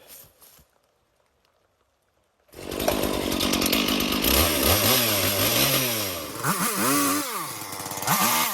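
Two-stroke saw fires up and revs smoothly up and down, pitch rising and falling cleanly with no rattle or misfire: running fine.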